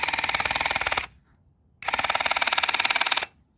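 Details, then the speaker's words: Dental Mate water flosser pump: bursts of fast, hard clattering knock (about 25 ticks a second) while the button is held; pump knocking, cause unconfirmed. "okay here's the knock you can hear the knock of the of this uh I just stand outside because otherwise the old place is full of water if you press this button you can hear the knock"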